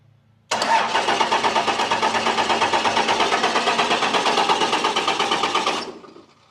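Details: Old diesel truck on a road trip: starter churns evenly, about three compression pulses a second, for five seconds, never catches; extended crank, no start.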